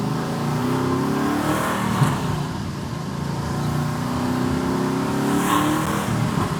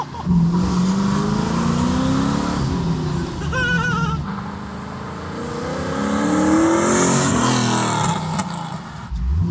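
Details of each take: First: Camaro SS freshly fitted with twin turbos, after fixing a mass air sensor that was not reading: the engine pulls cleanly at about quarter throttle with a rising whoosh as boost builds; turbos spool normally and it runs far better. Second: Twin-turbo Camaro SS V8 on a bad untuned setup, no wastegate reference: stumbles and surges, lumpy at low speed, and stalls; rough running blamed on the poor tune, with transmission trouble also noted.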